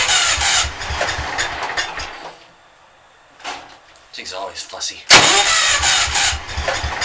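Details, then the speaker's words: Cold engine in a closed shed, hard starting with long cranking: starter grinds in uneven bursts with pauses, loud like a traction engine, engine won't catch; timing and valves set right, fine when warm, cause unknown. "oh that starts loud when you're a nice and closed shed you got the starter it's like trying to start a traction engine or something"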